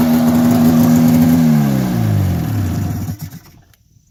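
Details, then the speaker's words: 1990 Polaris Indy 500 two-stroke snowmobile, sat outside since 2005, carbs cleaned, new plugs and gas, belt removed: revs high then winds down and cuts out, raw raspy blat from an exhaust leak; otherwise running pretty good. "right so as you can see it's running pretty good now aside from that the exhaust leak that's got to get sorted out but it starts right up which is great"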